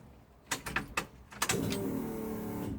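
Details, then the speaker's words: 1993 Ford XG ex-Victoria Police divisional van being restored, fresh fuel added and battery reconnected, key on: a few clunks, then a loud steady buzzing whine for about a second as the fuel pump primes and builds line pressure. "I can hear it sucking. Yeah, it's building up pressure, you can hear it."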